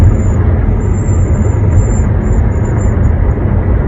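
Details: One-month-old 2021 Honda HR-V: high, piercing whistle comes and goes over road and engine rumble while driving at 60–65 mph, heard around the driver's side with windows closed and moonroof tilted or opened; dealer calls it normal.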